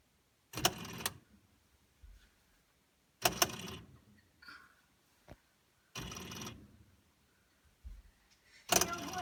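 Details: Frigidaire side-by-side fridge, fridge compartment: harsh rattling bursts about every three seconds with fainter clicks between them. The owner suspects the adaptive defrost control kit or the damper control assembly; not confirmed.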